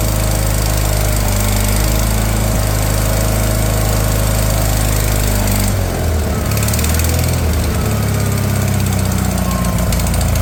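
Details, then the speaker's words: Wheel Horse 416 Hydro, 16 hp, first start in two years after a new fuel filter, with a hand over the carb to draw fuel through the jets: runs at a steady, even speed with a brief dip, no misses; water suspected in the cylinder. "and there she go she started up put my hand over the top of the carb sometimes will draw extra fuel through the Jets and whatnot"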